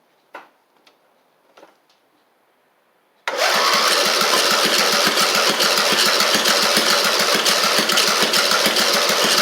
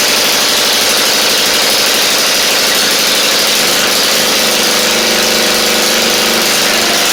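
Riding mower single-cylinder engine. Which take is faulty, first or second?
first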